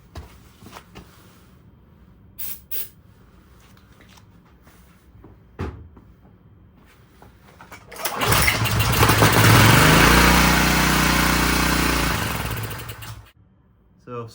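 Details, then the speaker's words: Subaru EA190V pressure washer engine that had not run in years, cold day, fresh gas added: it catches on starting fluid, roars unevenly for about five seconds, then dies. Owner suspects the fuel is shutting off, i.e. fuel starvation. "fluid gets it to run for a second uh the question is how do we make it stay running give it another shot I'm wondering if it's the it almost looks like the gas like it first runs for a second and then that gas is shutting itself off"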